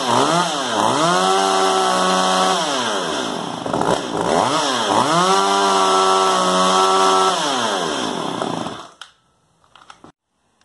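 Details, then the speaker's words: Stihl MS192 TC top-handle chainsaw that bogs down and won't idle: revs up and sags back twice, then stumbles at idle and dies, regardless of orientation; fuel and filter fine, caused by a bad carburetor metering diaphragm. "so as you heard, it died out at idle. I guess it didn't matter if it was perpendicular or horizontal."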